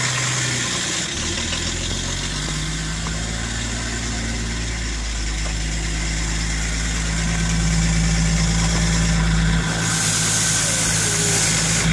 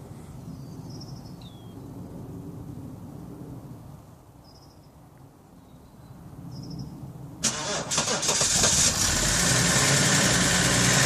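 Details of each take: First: 1997 Vauxhall Omega turbo diesel, BMW M51 six-cylinder, unused 18 months, first cold start after glow plugs: steady idle with puffing, ticking chuff from an exhaust leak needing welding. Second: 1997 Vauxhall Omega Elite estate, BMW M51 six-cylinder turbo diesel, automatic, unused for 18 months, first cold start after glow plugs: cranks, catches cleanly and settles into an even, steady diesel clatter; small exhaust leak noted afterward.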